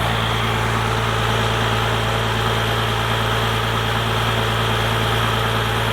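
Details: First-gen Dodge Cummins diesel with 4-inch straight pipe, after advancing timing and raising the idle: deep, loud, even rumble, steady rhythm with no stumble or hunting; a healthy, settled idle.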